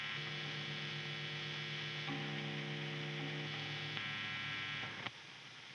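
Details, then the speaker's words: Electric guitar with single-coil pickups and grounded bridge into an overdriven amplifier, nothing played; steady low buzz with bright edge, normal single-coil mains hum, reduced by the grounded bridge. "this is completely normal, it means that your guitar has a grounded bridge and that it is grounding this guitar with its body and that everything is fine because some noise is cut out"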